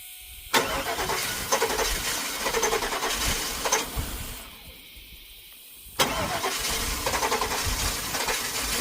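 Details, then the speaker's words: 2000 Cadillac Escalade V8 with a crank-no-start fault, cranked after electrical repairs: two long stretches of steady cranking at about four beats a second with no catch. The engine is flooded with a smell of gas. "It's flooded. It's flooded. I can smell the gas."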